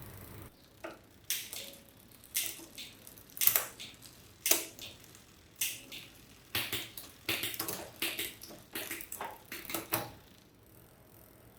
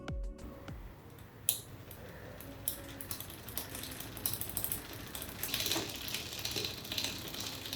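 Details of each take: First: Bicycle rear derailleur after setting cable tension with the barrel adjuster and setting the limit screws, running across the cogs: crisp single clicks as gears engage, chain quiet with no rub or chatter; normal shifting. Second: Bicycle rear derailleur shifted to the second-last position while pedalling: uneven light ticking and metallic rasping of chain rub on the next cog because cable tension is too low.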